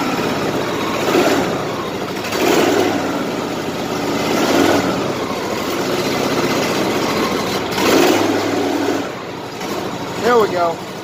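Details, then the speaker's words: 2010 Exmark LZ60AS mower with electric choke and a replacement engine fitted last August: it catches quickly, blips a few times, then settles into a steady, even idle. No misfire or knock; a healthy start. "This one's electric choke. Fires right up."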